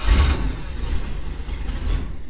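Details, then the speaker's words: Boat with Mercruiser engine and Alpha One Gen 2 outdrive, after fixing a bad connection that had caused slow starting: brief crank that catches almost at once and rises into a strong running rumble; quick, normal start. "wow okay I think we found out what the problem was that fired up way [Music] quicker yeah damn okay well it was just a bad connection"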